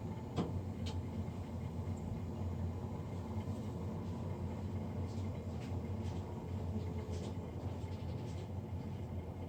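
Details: Navien NCB-240 boiler, serviced Jan 31 2020 and recorded Feb 3 2020: constant deep roar with a rough, rumbling edge that never changes, the combustion fan running unusually loud, cause unclear.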